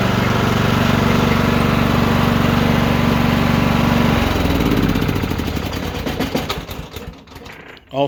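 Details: Troy-Bilt mower after drive belt replacement (754-0468/754-0467): single-cylinder engine runs steady and even at about four beats a second. At shutdown the engine bangs slightly because its mounting bolts are loose.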